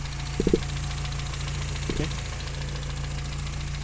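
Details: 1959 Triumph TR3A during a pre-purchase inspection, warm idle: steady, even low hum with no deep metallic knocking from top or bottom end, just light handling clicks; coolant shows no bubbling and there is no blow-by smoke. Normal warm idle.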